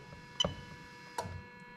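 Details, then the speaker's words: 1998-2000 Lexus LS400 1UZ-FE VVT-i V8, new rebuilt LHD engine harness on test, fuel pump activated via ECU-controlled relay in fuse box: sharp relay clicks over faint steady pump hum, switching off; relay and pump operating normally. "There you go, you hear the relay click. Hopefully you can hear the fuel pump running away there."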